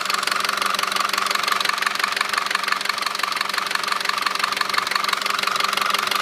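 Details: 2009 Audi A4 2.0T, 82,000 miles, recent 5W-30 oil change: steady sharp metallic knock about three per second at idle, loudest near the PCV; dealer found metal flakes around the cam lobes and recommended a new engine; car is sluggish from a stop.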